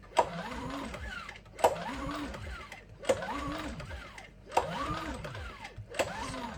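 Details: New Champion 8200i DF EU dual-fuel inverter generator, manufactured 03/2022 and first start on LPG from a 24 L tank; five recoil pulls each turn the engine briefly, but it never catches or runs.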